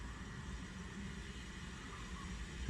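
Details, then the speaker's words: Bluetooth speaker with its step-down supply to the preamp set at 22 V: a steady faint hiss with a thin high whine from the midrange speaker, caused by supply interference. Lowering the supply to about 19 V removes the hiss. "สำหรับการแก้ปัญหาเสียงซ่านะครับเสียงลำโพงเสียงกลางออกเสียงซ่านี่ครับการแก้ไขนะเป็นเสียงรบกวนเนาะจากสัญญาณ"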